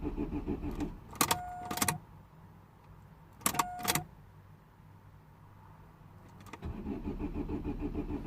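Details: 2009 Vauxhall/Opel Astra H 1.6 petrol, non-runner with P0685 code: starter cranks at even rapid rhythm in two tries but never catches; crank no start.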